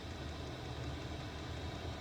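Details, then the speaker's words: Diesel heater in a Peugeot Expert campervan conversion, heard from inside the van; steady low hum with an even roar and no knocks, surges or pulsing; burning smoothly, running normally. "Obviously I've got the heater on at the moment, you can probably hear that. Got diesel heater running at the moment"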